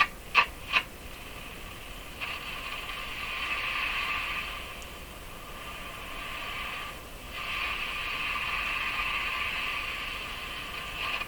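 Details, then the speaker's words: Hallicrafters S-40A shortwave receiver: hissy, scratchy rush swells and fades as the dial turns, same on bands one, two and three; no longer sounds like plates rubbing, owner suspects resonance or oscillation, cause unconfirmed. "so I have heard resonance based type problems in radios that sound scratchy exactly why I don't know"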